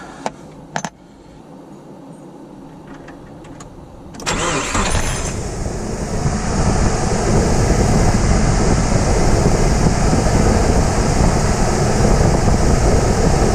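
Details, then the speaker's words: 2000 Nissan Frontier after tightening the squealing alternator belt: engine fires after a few clicks and settles into a steady, even run with no belt squeal; sounds healthy, squeal fixed. "all right guys listen you've gotten rid of the squeal I'm very pleased"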